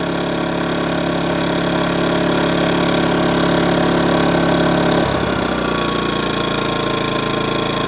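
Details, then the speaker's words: New Kings 2kVA generator, first pull, choke out, economy switch off: fires straight up and holds a steady, even drone, settling lower after five seconds; quiet, no smoke. Normal idle. "not that loud I don't know if you can hear me talking over top of it but it's really not that loud"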